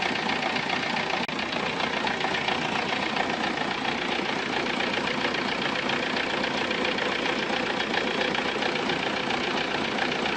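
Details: VW Golf 3 engine at idle: fast, fairly regular ticking clatter of about two per second over a steady idle; abnormal mechanical noise, cause unknown.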